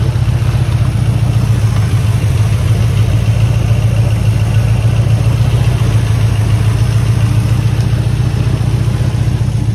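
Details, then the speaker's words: 1979 Ford F-150 Custom, sitting since 1999 and revived untuned on a hot-wired ignition, with the oil light on and the thermostat now open. It makes a deep, steady, even burble with no knocks or misses: normal idle. "one real I mean I haven't touched it I haven't tuned it done eating crazy hot wired ignition unreal really just running beautiful"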